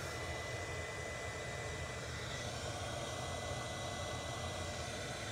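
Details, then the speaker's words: Hot air station blower, standing in for a 3D-printer-style blower, measured with Uni-T UT353 sound meter: loud steady even rush of air with no wavering, rattle or whine; blower fan running normally but quite loud. "it represents a blower that you might have in a 3D printer or something like that and as you can see they are quite loud"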